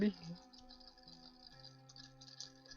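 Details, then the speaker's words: FTX Outback RC car motor and gearbox slowed right down to about 1.5 volts on bench supply after oiling bearings: thin even whine with light gear chatter, spinning freely without binding; normal running. "if I slow right down oh yeah one and a half volts and she's spinning away quite happening a bit"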